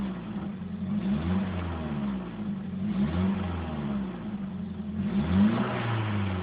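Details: Nissan SR20 petrol engine on stock exhaust, blipped in repeated revs, with a raspy, puffing edge on each rise from an exhaust leak.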